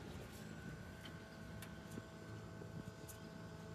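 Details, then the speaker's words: Hisense inverter split air conditioner not cooling, set to 16°C, outdoor unit; condenser very hot, fan barely turning then stopped while compressor keeps running; steady low hum, no fan rush; fan motor failed and capacitor bulged. "你们看，这个风扇啊，基本上没在转，转得很慢，有可能上面风是刮的。"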